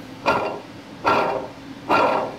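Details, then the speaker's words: 1953 Chevy pickup small-block water pump, old pump shaft spun by hand: three rough, gritty growls about 0.8 seconds apart; badly worn-out water pump bearing, pump being replaced. "I'd say that's just a little wore out"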